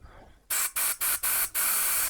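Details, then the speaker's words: Kawasaki ZXR750 H1 carburetor during strip and clean, compressed air blown through the main jet: five sharp, clean hissing bursts that flow freely out of the carb body; passage clear. "So, I know probably wouldn't have got it on camera, but as we're blowing through each one of these holes, so through the main jet, I'm listening for air to come out of the actual carburetor um body, out of each one of these areas, and I can hear that."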